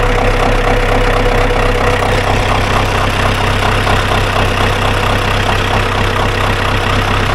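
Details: Ford 2120 diesel tractor that sat for years, rusted throttle cables cut and set back to the lowest setting: steady low clatter at roughly two beats a second, even throughout; settled at a normal idle.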